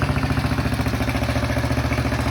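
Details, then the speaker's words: Cheap Chinese kids' ATV, single cylinder, after fixing a flooding carburetor with a fully tightened screw: starts right up to a steady, even putter with no misses; healthy idle. "Oh yeah. Starts right up. Yeah, this is awesome."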